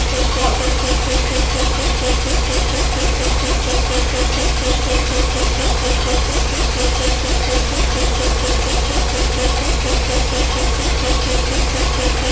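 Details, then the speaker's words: 1975 Bedford truck 50-year-old petrol engine, first run in restoration: steady idle with repeating tap about twice a second, described as the compressor; otherwise smooth. "there's that funny noise that's the compressor yeah so apart from it Catching Fire that was so smooth"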